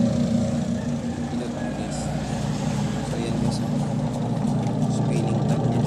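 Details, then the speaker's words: Panasonic 5.2 kg single-tub washing machine, after repair of missing capacitor: steady, even low wash motor hum, no knocking or grinding, reversing every 15 seconds then forward; runs smoothly, normal. "natin yan yung reverse niya yan 15 seconds tapos forward ulit"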